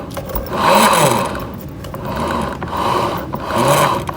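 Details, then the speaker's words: Honda BeAT FI scooter CVT with rumbling complaint: rear pulley spun by hand gives a rough, gritty rumble swelling and fading each spin; worn bearings, to be replaced. "Ini biasanya itu dikarenakan bearing bambu sama bearing yang ada di dalam ini udah aus ya."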